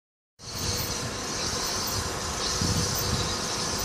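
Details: Nissan Altima Coupe after replacing the front driver-side wheel hub: a steady hissing scrape with faint rough pulses as the wheel turns, first suspected as a hub noise; the cause was the brake dust/heat shield rubbing the rotor, so the shield was removed.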